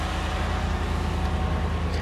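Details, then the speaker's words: Z71 pickup with factory exhaust, started at a dealer auction: deep steady exhaust burble with even firing pulses and no misses, knocks or ticks; smooth, healthy normal idle. "let's start it sounds good"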